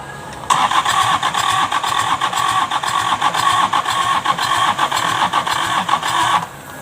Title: Hard starting,injection pump stuck and fixing.kubota V1501 4cylinder engine